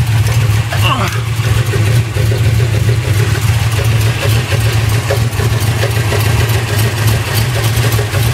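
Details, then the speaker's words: Chevy 360 (010 block, .060 over) from 1968 Camaro in 1986 K20 4x4, warm at idle, 60 psi oil, 160°F water, new cam, lifters, oil pump and stall converter, bearings good: irregular intermittent knocks and scraping; owner suspects something dragging near flexplate, unconfirmed. "Just sounds like something's dragging there at the damn flex plate or something."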